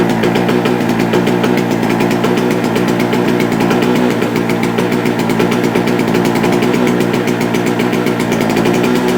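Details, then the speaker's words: JCB two-stroke generator, unused for a couple of years, now started: small two-stroke buzzing at a steady, even pace with no misses, outputting 200 volts; owner suspects possibly too much two-stroke oil in the fuel. "definitely running may have put a bit too much two stroke oil in it's doing 200 volts oh sounds good"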